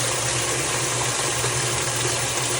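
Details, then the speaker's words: Washing machine that had no hot or cold water fill, tested after replacing the WATTS box. A strong, even hiss and gush of water with no sputtering or pulsing shows a healthy fill with good pressure. "This is a more ideal pressure for that water. And yeah, this is running a lot"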